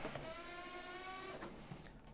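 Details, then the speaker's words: Treadmill running belt during stomp test with machine running: steady motor and roller whine continues while belt stalls underfoot, front roller slipping because belt too loose; fix is increasing belt tension. "you can hear when it stalls you can hear the front roller is still slipping which indicates that the belt is too loose"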